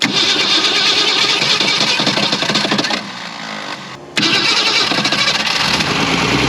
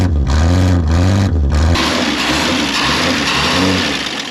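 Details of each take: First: 1961 Ford Falcon wagon parked in woods 38 years, found with no oil; first start, ragged roar sagging and recatching, needs wide open throttle; owner suspects intake full of debris. Oil pressure good. Hard starting. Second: 1961 Ford Falcon wagon six, parked in the woods 38 years with a stuck engine and no oil, first revival: catches, revs up, settles into steady even run with no knocks or misses; good oil pressure, running normally.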